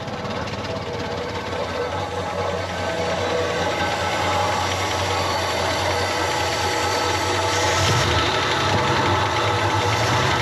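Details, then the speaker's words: Old Chrysler CM Valiant engine, first start after purchase: uneven running with loose tractor-like clatter and rattle at idle. "sounds like a bit of an old tractor at the moment"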